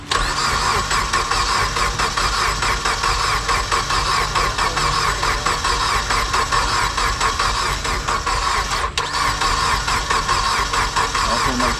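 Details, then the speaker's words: Dodge Caliber SRT-4, first start attempt in years after the engine was buttoned up; over half a tank of fuel, clutch still needs bleeding. Fast, even starter cranking that never catches; crank, no start. "all right hold up that sound like that mug going to crank dog huh"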